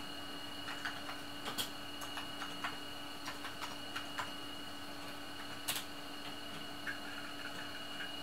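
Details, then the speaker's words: Amiga 2000 with newly installed hard drive controller, drive accessing: steady whine from the noisy spinning drive with irregular quick seek clicks; normal disk access noise. "the cyclist you can hear accessing there if you can hear it over the noise of the drive it's quite noisy"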